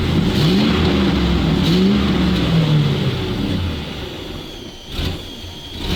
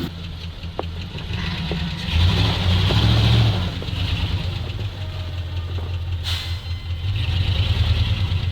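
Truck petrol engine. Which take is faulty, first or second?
first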